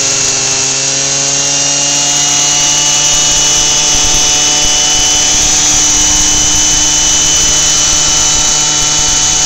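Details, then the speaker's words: Lawnmower engine on 10% ethanol (E10) fuel, 53° outside, keeps running at a steady high buzz with the spark plug wire unhooked; owner suspects the hot engine and spark plug ignite the ethanol, causing run-on. "that's what it's doing is it's the ethanol it was 10% ethanol in the gas and when the spark plug gets warm enough the ethanol will ignite from the temperature of the engine and the temperature of the spark plug"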